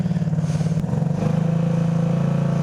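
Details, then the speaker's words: 150cc single-cylinder go-kart engine with damaged exhaust, airbox/snorkel unhooked after it restricted intake air: low pulsing thump that firms up and smooths as revs rise through mid-range, pulling clean with no bogging. "gosh that sounds so much better at mid-range"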